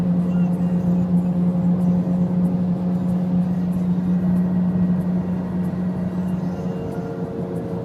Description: 2009 Honda Accord LX 4cyl with 115K miles has a really bad wheel bearing hence the really loud noise